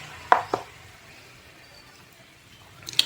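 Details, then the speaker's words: Known-good speaker driver tested by touching a battery to its terminals in either polarity: crisp single clicks on each contact; driver responds normally. "Kalau yang normal, nah dia ada respon teman-teman. Ini mau dibalik, dibalak-balik juga tetap ada respon."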